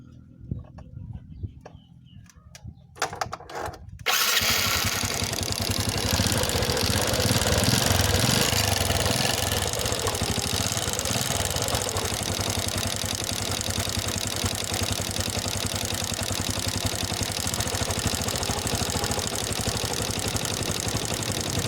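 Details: Honda Wave S110 motorcycle starting and idling: busy metallic clatter from a worn, slack cam chain tensioner.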